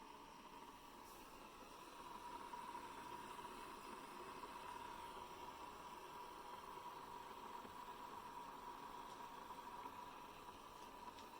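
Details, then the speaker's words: Hamilton Beach 47950 One Press 12-cup dispensing coffee maker after brewing is done: a steady, even hiss with a faint sizzle that lasts the whole time it keeps the coffee warm; normal keep-warm sound, which stops when a part is lifted with a fingernail. "So you would think that the coffee is brewing, but actually this is the noise that it makes after it's completely done. And it will continue to make this noise the entire time that it's keeping the coffee warm."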